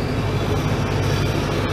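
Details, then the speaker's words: ARIACOM SAX 112 diesel screw air compressor with a 93 kW Cummins engine, started at -10 °C after glow preheat: deep, steady rumble with an even beat, starting easily with no blue or black smoke; normal diesel idle. "запускается достаточно хорошо даже достаточно низкие температуры но сегодня температура -10 это нормальная обычная рабочая температура"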